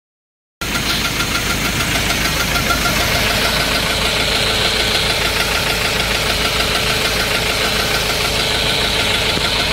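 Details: 2.2 engine, 6-speed, with white smoke and coolant mixed with oil: loud, fast rough knock about three beats a second over steady idle; piston rings suspected, cause unconfirmed; engine won't switch off.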